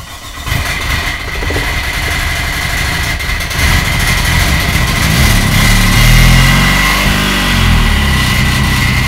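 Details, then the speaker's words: Turbo Suzuki Swift GTi build on MegaSquirt, first startup after fuel priming, intercooler water lines not yet connected. The engine catches into a lumpy, uneven idle pulsing about four times a second: runs rough and won't hold an idle below about 2000 rpm, with occasional detonation, which the owner fears is fuel related. "sounds rough see what's going on all right uh i'm done for the night i can't quite get the uh idle stable like i want to"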